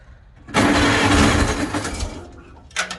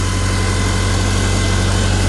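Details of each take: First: 1955 Farmall Cub gas tractor, battery trickle-charged overnight, choke on, fuel in filter: starter churns steadily about 1.5 s without firing. When it does start it runs rough on about two cylinders; owner plans a tune-up starting with the plugs. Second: 1955 Farmall Cub after replacing gas-fouled spark plugs that had caused a no-start and rough running. Low, even idle with a steady beat, no misses, knocks or stumbles. Smokes a little, as it long has. Normal idle.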